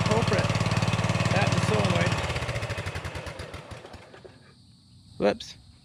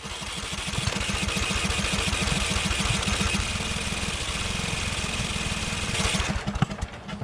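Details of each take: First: Customer's Murray 42-inch riding mower runs with a steady, fast, even single-cylinder thump, charging the battery after the ignition switch was suspected as the culprit; runs fine. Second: Murray 42-inch riding mower with an ignition fault causing inconsistent spark. The starter chugs steadily and the engine fires in uneven pops but won't catch because it is flooded; it earlier backfired.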